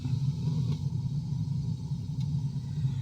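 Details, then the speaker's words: Gas water heater fed from a gas bottle, pilot lit, thermostat turned up until the main burner ignites: a steady low roar comes up and holds evenly; normal light-off. "And then turn this thermostat around until you hear the gas ignite. Like that."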